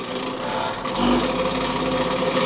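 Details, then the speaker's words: Whitfield WP2 Advantage pellet stove, made 1988: blower fan runs with a loud droning hum, rough buzzy vibration and wavering tone; owner suspects a failing bearing or blades off, motor likely to be replaced. Noisy vibrating blower fan. "As you can hear, it's quite noisy, vibrates real bad. There's something bearing going out, or blades flew off or something."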